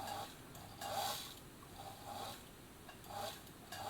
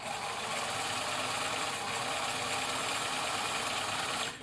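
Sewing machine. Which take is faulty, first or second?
first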